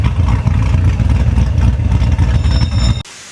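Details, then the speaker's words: Supercharged car in a tire shop during a TPMS reset, heard from the rear: a deep, choppy exhaust lope at idle with supercharger whine. It is louder than from the front and sounds like a normal aggressive idle. "Now, you can really hear that thing chopping. You couldn't really hear it from the front, but"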